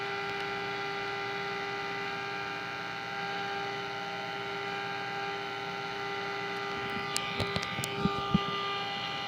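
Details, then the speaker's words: 1946 Sears Silvertone radio model 132.818, after a wiring mistake at the tube socket was repaired and before the tuning trimmer cap was adjusted: a steady hum and hiss with barely any station coming through, then clicks. Sensitivity is very weak. "Wow, pretty pathetic sensitivity."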